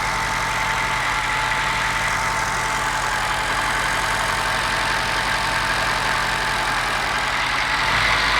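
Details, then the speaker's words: Moke engine bench tested out of the vehicle, fuel squirted down the carburettor, coil powered and starter jumped: loud idle with uneven stumbling beat; misfire on one cylinder. "I've got a miss on one cylinder. I'll see if I can find out which one it is."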